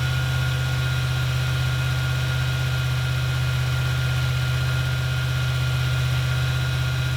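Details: 1977 Ford F-250 460 V8 with automatic, after the distributor is reinstalled and timing reset. Smooth, even fast idle with a steady low rumble and no knocks or misses: normal fast idle.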